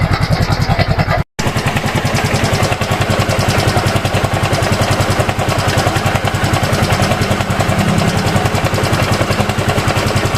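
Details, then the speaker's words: Yamaha Mio M3 scooter engine idling with a coarse, uneven mechanical rattle from a worn camshaft bearing. "Nah jadi eh suara kasarnya itu seperti itu ya pokoknya ada suaraaneh di bagian mesinnya ini ya"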